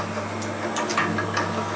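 Steady motor hum with a high whine and a few dull knocks as it turns over evenly; crusher running normally at this speed.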